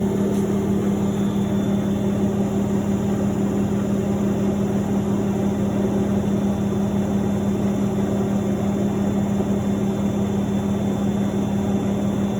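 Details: Miele W1113 washing machine: loud steady low drone with a faint pulse about twice a second that never changes pitch. Owner asks whether the machine is broken; cause not stated.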